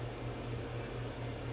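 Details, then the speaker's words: Crest Audio VS900 power amplifier on first power-up, plugged straight into mains: cooling fan gives a low steady hum with soft pulsing, not very loud, running normally. "and you can hear it but it's not a super loud fan and it's it's up and running now"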